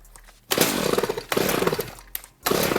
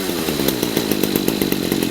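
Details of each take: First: Redmax Husqvarna GZ25N two-stroke trimmer with a replacement Walbro WYA-75A carburetor: six rasping pull-cord strokes with no firing; no start, resolved after a new plug and regapping to the 0.025 in spec. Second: Redmax GZ25N two-stroke trimmer after a replacement Walbro WYA-75A carburetor and a kit CMR6H spark plug, fixing a no-start: steady high buzz with even firing and no misses; running healthy.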